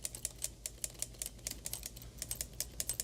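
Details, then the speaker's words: 1935 IBM Model 01 Electromatic typewriter, after lowering the impression strength setting so it runs at much less power: crisp, uneven key strikes about two or three a second over a low, steady motor hum; running smoothly and easily. "but yeah, we're running it at way less power now, so it's uh having an easier time with life as well."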